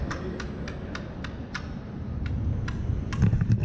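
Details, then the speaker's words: Electric unicycle rolling with regular sharp clicks about four a second over a low rumble; the tire's pump-fill valve was not pushed down and catches each wheel turn. "You hear that clicking? Yeah, you know what it is it's the pump fill. If you mash it down, it should stay in place."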